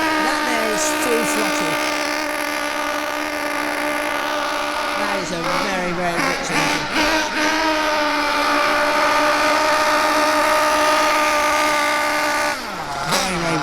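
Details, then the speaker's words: Hobao Hyper 7 buggy, Mac 28 nitro engine, high-speed needle set far too rich: a high steady scream, soft and blubbery with no crisp edge, heavy blue smoke. This gives poor performance, heavy fuel use and constantly fouled glow plugs. "okay so for me as you saw there it had a lot of blue exhaust smoke this is going to do two things firstly it's of course it's going to affect your performance your performance is going to be rubbish secondly it's going to use lots of fuel"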